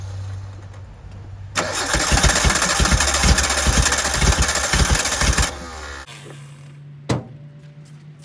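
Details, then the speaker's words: 1988 Suzuki Samurai, parked since the late 1990s, gravity-fed from a temporary fuel tank; starter churns, engine coughs and catches in uneven bursts then dies back, stumbling start; owner suspects it struggles to get fuel, and giving it gas seems to make it worse. "trying to give it gas at the same time, but I honestly think it makes it worse."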